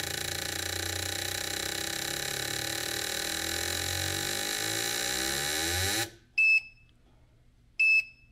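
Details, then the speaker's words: Gasoline fuel injectors on a Mr Cartool tester, four at a time, in the 750 to 7,500 RPM sweep test: even clicking starts slow and speeds up smoothly with no stumbles or hangs, then two beeps; normal pulse sweep, none sticking. "So if you had a sticking or hanging injector, it would show up in here. These ones are looking pretty good, and as you can hear, it's slowly speeding itself up."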